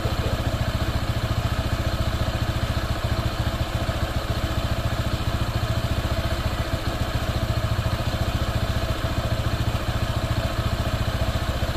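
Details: Honda PCX 160 scooter, new and not yet broken in, idling with a steady, slightly uneven clatter near 3.5 beats a second; the owner suspects a loose drive belt, but the cause is unconfirmed.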